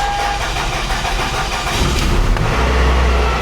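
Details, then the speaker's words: 2001 Toyota Camry 2.2L 4-cylinder, about 232,000 miles, after a complete manifold-back exhaust install with new resonator and muffler: catches quickly, steady low muted idle, no rasp or leak; normal start. "Here we go. It's gonna sound so beautiful. This thing is just gonna be like, brrr."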